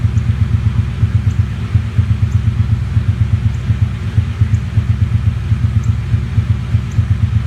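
Deep idle with an uneven, loping throb, about two or three beats per second that don't land evenly; a cylinder is misfiring.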